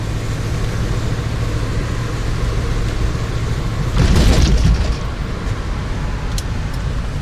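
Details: Engine while driving, before repair: rough, uneven rumble under road noise with sudden chuffing burst, acting like full throttle when not; sputtering misfire from EGR sticking open causing very rich mixture, plus hidden vacuum leak causing high idle; ECT, TPS, MAP replacement didn't fix it.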